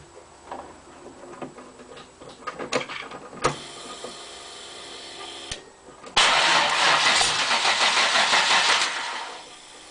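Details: LT1 350 V8 with a vacuum leak after the MAF sensor: cranks, catches briefly, dies, restarts and runs unevenly before stalling again; engine ran strong once the leak was plugged.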